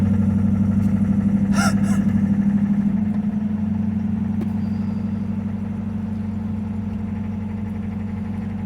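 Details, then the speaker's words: 1974 Citroën GS flat twin cold-started at -10° after sitting at least three weeks, clutch down: a steady, even idle pulsing about four times a second, settling smoothly with no knocks or misses. Normal cold idle. "let's listen to this lousy thing actually turns wow no way just like that"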